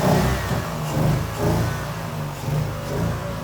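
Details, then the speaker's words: BMW-engine-swapped Nissan S13 now idles with gentle, slightly uneven swells and no hiss or stumble; it previously ran badly and scanner fuel trims showed bank 2 very lean, and fixing a vacuum leak made it run good. "Huge news. The car finally runs good."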